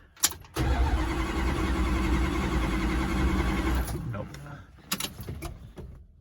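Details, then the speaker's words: Dodge Dart cranks steadily at about four compressions a second for three seconds but never catches, even after swapping ignition wires; no spark, distributor and wiring later rechecked. "yeah i'm still thinking i'm just flogging a dead horse with this definitely no spark all right i'll switch the wires left to right see how we go again no spark and try again"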